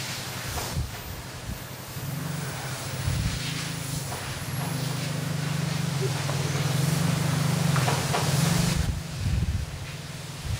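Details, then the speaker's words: Samsung flyback transformer powering a makeshift induction heater to warm an LG Studioworks CRT neck: low steady ~150 Hz buzz that wavers and strains under load; transformer getting too hot, later burnt out. "yeah getting too hot see yeah taking forever to heat that c neck up"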